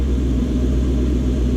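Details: Gen 1 non-VVTi Lexus 1UZ-FE V8, likely from an LS400, in a jetboat, EGR deleted, on a Link ECU Atom, after being fixed from running on 6 cylinders, gives a deep, even rumble under a light rev with no misfire; it sounds good.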